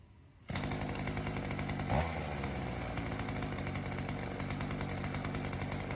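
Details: Weedeater two-stroke trimmer engine fitted with a new HiPA carb in place of the old one: crisp, strong buzz holding a steady high speed without surging or sagging; sounds much healthier, with more throat than the old carburetor.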